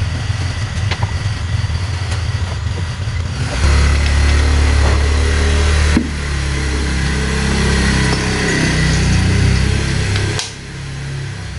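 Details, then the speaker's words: Yamaha Jupiter Z1 with rough noise on the right side of the engine and stalling when put in gear, clutch linings and housing already replaced: harsh uneven clatter rising when revved; clutch parts found wrongly assembled by a previous workshop. "uh pantas ya salah pasang salah pasang kayaknya ini orang dia pasang tuh begini kah Seharusnya kan ini toh di belakang Ini per"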